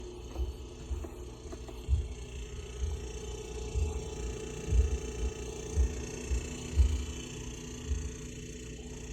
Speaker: the compressor. It does making some noise. Yep, yes indeed, that noise is the compressor.